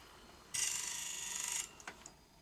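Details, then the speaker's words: 1976 Philips N1502 video cassette recorder with a tape stuck inside, keys not latching: strained high whirr about a second then scattered clicks as unload stops short; suspected cassette shell top jamming the unload mechanism. "judging by that noise I think the top of the cassette might be jamming the unload"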